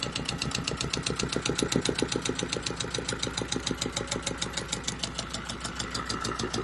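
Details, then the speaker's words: Volvo Penta 2002 marine diesel from a 1987 sailboat, repaired with new shims after fuel bleeding, fresh-water cooled: steady even chug idling at about 800 rpm, no misses or knocks, not running hot; healthy idle. "that's good I'm doing good the Pop's water good not running hot at all"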